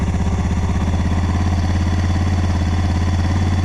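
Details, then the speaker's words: Suzuki DR650 single, original tank with rebuilt petcock and a used carb replacing the TM40 suspected of running lean, started on choke: steady, even thumping idle, no ticks or knocks, earlier noise gone; normal idle. "No noise whatsoever. So the TM40 for some reason was creating I think it was a lean condition."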